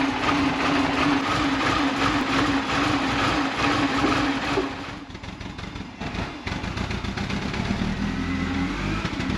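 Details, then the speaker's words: Mini Cooper runs unevenly, lumpy and stumbling with a hissy background; the misfire was traced with a scan computer to a throttle body butterfly not fully closing, after a vacuum leak was first suspected. "All right, so after that walk of shame or toe of shame, got it home where I have a better computer to hook into this, found out that the throttle body butterfly was not fully able to seat closed."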